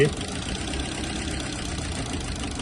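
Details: Petrol/LPG car idling with an uneven, stumbling beat that keeps breaking rhythm: a misfiring cylinder caused by a burnt valve.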